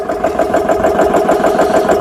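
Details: GX CS3 high-pressure compressor after repair with four new O-rings, no filter fitted, set to 3,200 PSI, filling an air gun from about 2,500 PSI: steady, even pumping chug about eight strokes a second, firm midrange hum, no knocks or squeals; running normally.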